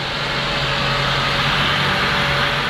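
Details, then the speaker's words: 2004-2009 Mazda 3 after a belt tensioner replacement, at idle. A noise had been heard on cold start that went away once warm. Now the idle is even, with no chirp, squeal or rattle from the belt side: normal idle. "okay i do not hear nothing i do not hear nothing happy right i did not hear nothing at all"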